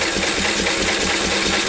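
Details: Quick, even chuffing beat at a steady speed with no skips or knocks; this small engine runs smoothly, shown as the easy check: petrol poured into the spark plug hole, plug refitted, engine wound over.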